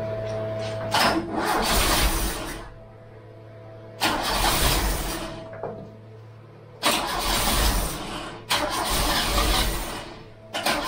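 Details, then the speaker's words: Freshly installed Pinto engine in a MK3 Cortina, first start attempt, battery 12.6 V, lots of petrol put in; starter cranks in several bursts with pauses, never catches; crank no start, owner suspects flooding. "we just need to get the car to start initially we're not starting it could be flooded because I've been fit because I've been fitting that chunk"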